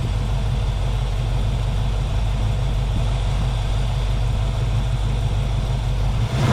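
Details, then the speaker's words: 1966 Ford Mustang, 289 V8, long-abandoned, running with a weak electronic ignition that replaced the points and had made funny noises earlier: a deep, steady, even rumble with no knocks. It is running smooth for now. "But she's running smooth right now. Who knows how long she's going to run because that points or the ignition electronic ignition that's changed out for the points and condensers is weak and it was making some funny noises earlier."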